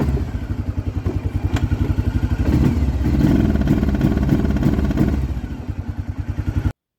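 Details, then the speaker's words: 1996 Arctic Cat Bearcat 454 ATV, driving down the road: thumps along but won't climb past just off idle, stumbling like a very low rev limiter; ignition cutout later traced to brake switch wiring. "as you can see it it runs like it's got a like a rev limiter set really low"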